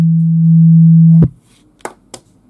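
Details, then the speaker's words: KEF KC62 subwoofer playing generator test tone while filter, phase and room-correction modes are toggled and mains earth disconnected: steady pure low tone, no hum, stops cleanly; none of these changes affect it, no fault. "Je change les modes de correction acoustique. Ça n'a aucune incidence non plus. Je déconnecte la terre. Ça n'a aucune incidence non plus."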